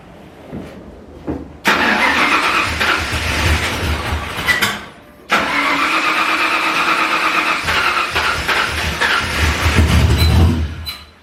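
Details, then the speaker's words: Foxbody Mustang V8, first start after full rewiring and a Holley Terminator X fuel-injection install, not yet tuned: it cranks, catches, runs rough and uneven, then dies. It restarts but won't hold idle. "so yeah it needs a little bit of tuning together to actually run an idle but it's running on holly now and i should run a lot better"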